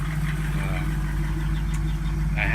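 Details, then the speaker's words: 1987 Jeep YJ Wrangler with LSx V8 swap and a stock-Tahoe-type muffler: deep, steady V8 idle with a faint loose rattle riding on the exhaust note; exhaust rattle at idle. "you can hear the exhaust rattling one more right now"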